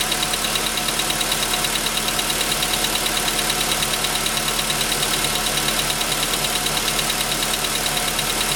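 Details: VW Jetta V at idle: sharp, even metallic knocking of about three a second, clearly audible from 15 seconds in. The dealer recorded it and the pistons were replaced under warranty.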